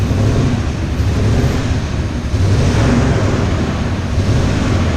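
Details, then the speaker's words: Dodge Ram 1500 with a replacement 4.7 HO engine from a Jeep, retimed after jumping timing, valve covers off, water-only cooling: a lumpy, rough rumble with no knocking; it stalls off throttle and shows no oil pressure despite a new sender, cause unknown. "sounds terrible yeah i don't know what to do with it i guess i'd pull the motor since there's showing no oil pressure or something freaky there still not rattling oh it's running so rough"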